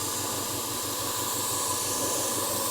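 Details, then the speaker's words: Small airbrush compressor with 2-litre tank, cycling back on after shutting off when full: steady fast pulsing hum and airy hiss, no knocks; normal running, much of the noise from case vibration. "now it's kicked back in like i said most of that noise so the is-975 is probably a little quieter than that because most of that noise is coming from the vibration of the case that it's in"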